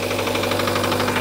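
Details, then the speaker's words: Kia engine at 107,000 miles, towed in with check engine light blinking, idling with a heavy fast regular knock about thirteen a second; technician suspects a rod about to come loose, warranty engine replacement pursued. "Engine is knocking, it's knocking pretty bad. It sounds like it's got a rod about to come loose."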